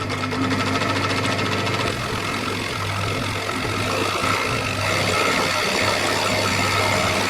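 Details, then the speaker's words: Very old sewing machine sewing a fabric speaker sock, foot pedal jerky fast-slow; rapid clatter about three to four strokes a second surging and slowing, uneven running and dry-sounding; owner suspects it needs oil. "nice the food paddle is a bit U jerky fast slow fast slow it's an old machine very old machine"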